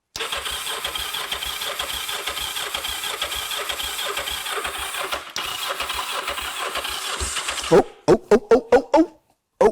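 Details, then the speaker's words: Kawasaki GPZ 500S, left outside three to four years, choke on: the starter churns for about eight seconds, then a few coughs that never catch. The owner suspects a limp battery and recharges it. "just trying to go she was trying to go so I think the battery was sounding like it was a little bit limp"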